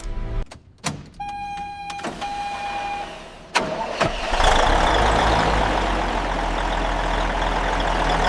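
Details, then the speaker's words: Abandoned 1985 Freightliner FLC120, first start after 40 years sitting and a full restoration including the engine: clicks and a brief chime, then the starter cranks and the diesel catches, settling into a steady low rumble; starts and runs fine. "After 40 years of silence, she's alive. There's nothing quite like hearing an American legend breathe once again."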